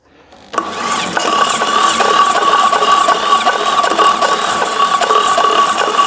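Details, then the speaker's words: Fiat 126p (Maluch) engine on 92% denatured alcohol instead of petrol, carburettor drained of petrol: starter grinds, engine catches briefly with uneven ragged firing, then stalls; smell of denatured alcohol. Owner thinks it needs to warm up. "ciekawe no pali i po chwili gaśnie jeszcze raz ale jest taki zapach denaturatu"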